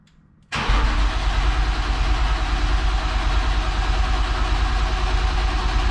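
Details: 1995 BMW M3 after replacing a rusty, leaking fuel line: brief crank, then catches instantly and settles into a steady, even idle; starts and runs normally, though a leak was found afterward.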